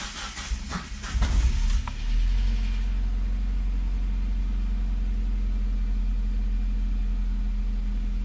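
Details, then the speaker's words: Mazda Miata on Megasquirt, cold start tuning with default settings: starter churns unevenly longer than stock cranking times, engine stumbles as it catches, then settles to steady idle; long cranking and stumble on cold start. "Okay, so it cranked over longer than normal, longer than what would be considered like stock cranking times. Now, on a Miata in particular, the cranking times are kind of long anyway."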